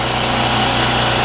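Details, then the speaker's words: Champion generator after tune-up for surging, running an air compressor load: one even steady note with no hunting or rise and fall; runs smoothly. "and uh as you can see it's not hunting and pecking it's running rock solid nice and smooth"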